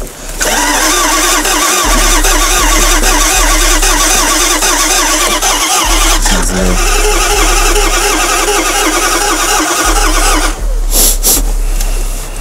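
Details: Range Rover with engine problems, after sitting three months, battery flat and boosted: starter cranks at an even three-odd beats per second for seconds on end but never fires; fuel pump is dead.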